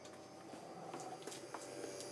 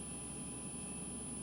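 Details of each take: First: GE Profile refrigerator PGCS1RKZA that flashed lights and would not cool, after replacing two 470uF 25V capacitors on the control board: ticks and clicks, then the compressor starts with a steady low hum and a faint high whine; running normally. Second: GE Profile refrigerator PGCS1RKZA just plugged back in after replacing failed 470uF 25V capacitors on the control board; the compressor runs with a steady hum and a thin, constant high-pitched whine. Owner unsure whether it is normal.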